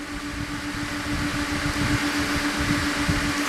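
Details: Dometic RV refrigerator overheating in hot weather, fix with vent fan behind fridge in outside access, blowing outward: steady mid-pitched hum with even airy rush, no rattles or scraping; fan running smoothly.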